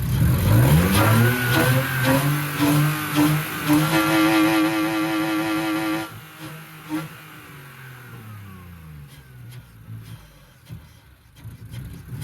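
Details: BMW E46 with a replacement 2.5-litre six after the original had zero compression; pulls cleanly through several smooth revs, rising and falling, then settles. Normal revving, sounds pretty good.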